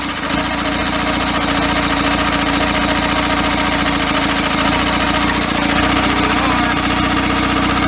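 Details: First start of a first-ever engine build on custom motor mounts, cold, idle set too low, needing extra fuel; loud, fairly steady run with a busy, slightly uneven pulse and noisy top end, running on its own.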